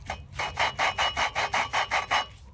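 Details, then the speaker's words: Volvo 960 cylinder head valve job: rhythmic gritty rasping, about four strokes a second, from hand-lapping an old valve that isn't seated yet; it grinds rough and moves freely, unlike the freshly resealed valve, which has resistance. "gonna sound pretty rough that sounds like it's grinding the rocks just gonna burp it so here's the old line that sounds like crap"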